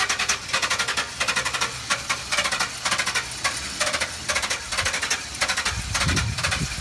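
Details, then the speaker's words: Chevrolet Express 3500 van: starter turns the engine in quick rhythmic bursts, over and over, but it never fires or catches; crank, no start. "Doesn't wanna start for some reason."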